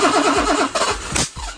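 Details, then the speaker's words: BMW E23 with freshly installed M30 engine, first start attempt, not all parts fitted, incorrect throttle body: cranks, catches and runs a few seconds then fades out, won't stay running; multiple possible causes. "The engine turns over, which is great. It kind of starts up for a few seconds, but doesn't want to stay on."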